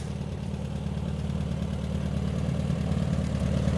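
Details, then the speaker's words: 1972 VW Super Beetle, newly bought, first start: uneven, lumpy low idle loping about 3–4 times a second, with smoke; owner unsure and thinks it may be running rich, though it seems to run well. "yeah she's a smoker i'm gonna do a frame off someday uh but maybe just get her running for this summer maybe she's running rich i don't know it does seem to run good though"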